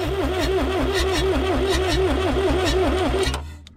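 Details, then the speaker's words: Lull Highlander 844 telehandler, abandoned, jumped directly at the starter solenoid without starting fluid: brisk even cranking about three compressions a second, compression seems present, but it doesn't catch; cause unconfirmed. "sounds like there's compression. It sounds like we're turning it over fast enough where even if we had low compression, it should start."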